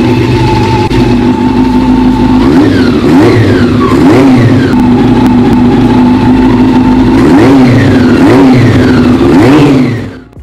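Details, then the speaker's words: Honda CB400 four-cylinder first start after sitting 20 years and a full engine overhaul, compression about 10 bar, good oil pressure, carburetors installed; it catches and runs smooth and even with clean, free-revving throttle blips, a healthy engine. "Finally, it's alive again. The moment it started up, that sound healed every bit of exhaustion in me."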